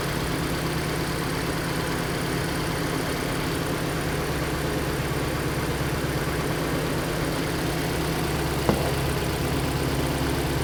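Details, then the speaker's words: Hyundai Elantra idling with code P0267 for the cylinder 3 injector and the oxygen sensor reading lean. Uneven, loping idle with an irregular stumble; misfire on cylinder 3, possibly from an unplugged injector connector. "الماكينة تفرق، الكشاف واضح. هاي تفتح. هنا واضح انه قاعد ترد."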